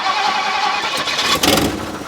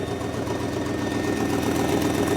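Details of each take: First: 1958 Mercury Montclair Turnpike Cruiser, not run since about 1994, carbureted: a short crank that catches roughly and stumbles instead of firing cleanly; a hard start because the accelerator pump was probably installed backwards by the rebuilder and isn't squirting. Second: 1958 Mercury Montclair Turnpike Cruiser, unrun since about 1994, first start with oil pressure but no coolant yet: steady idle with a few light throttle blips and no knocks or misses; running well.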